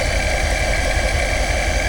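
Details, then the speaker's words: C7 Corvette with ESS supercharger kit (straight-cut gears, largest blow-off valve) and TSP 2" headers, first start: faint steady supercharger gear whine over a deep, even V8 idle; normal straight-cut gear noise, not a fault. "you can hear a little whine."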